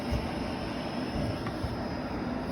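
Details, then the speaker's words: Newly installed Inferno cab heater blower on a 2021 CFMoto 800EX running on low: steady even rush of air with a low hum, no rattles or ticks; blows well, normal blower operation. "does blow pretty good. Of course, the more you open, it's going to be less flow. So if you want more defroster, you would just shut these down. That's low though, and it's actually blowing pretty good."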